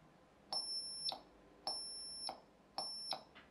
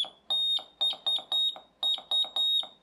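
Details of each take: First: Ein O's Morse code kit with its original piezo transducer: short, very high, thin beeps about one a second, barely audible; the original piezo is so high-pitched it is nearly inaudible, and a substitute door-alarm piezo drops the frequency. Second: drops the frequency and I can hear it so there we go that's i knows morse code kit revisited and just rebuilt onto an ordinary breadboard and it works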